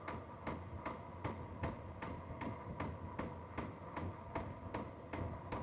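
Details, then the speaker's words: H-Calory diesel heater with a replacement, quieter fuel dosing pump, shell off: sharp, evenly spaced ticks about 2.6 a second over a low running hum at power level 3; the ticking gets faster at higher levels. "And the faster the higher up in the level you go, the faster it's going to make that ticking noise."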